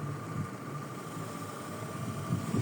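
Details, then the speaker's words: Citroen C4 Picasso interior blower motor after repair, engine running, stepping from quarter to half to full speed: quiet, even airflow with a faint steady motor tone and no rattle, squeal or grinding, working on all speeds. Normal blower operation. "Going up to full speed. Silent. Look at that there. Nice and happy. Working fans works in all the speeds."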